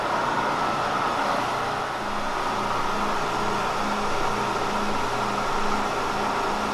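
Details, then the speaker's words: Kearney & Trecker mill boring a welded tube to final size with a long stick-out boring bar, about 4–5 thousandths to remove: a steady, unbroken cutting hum over halfway through, cutting evenly all the way around. "over halfway through and it still sounds like it's cutting all the way around."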